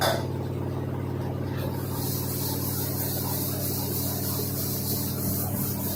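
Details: LG 2-in-1 washer-dryer (10.5 kg wash / 7 kg dry): loud, steady low drone with a rough, uneven throb as the drum turns, and the machine shakes hard; excessive vibration and shaking noise, cause unknown.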